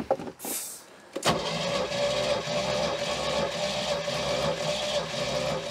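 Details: 1973 Larson boat, Mercruiser 120hp 2.5L, compression test: after a click the starter spins the engine at an even, quick rhythm with steady compression pulses, a healthy crank; cylinders read 150, 150, 140–145 and 149.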